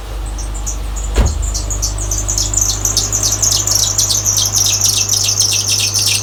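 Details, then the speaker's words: 2007 Subaru Impreza 2.5i on a cold start at 30–40°F outside: shrill chirping squeal pulsing about three times a second over the idle; belt squeal despite timing and serpentine belts replaced a few months earlier. "I am turning on my 2007 Subaru Impreza. Alright, and this is the belt squealing noise."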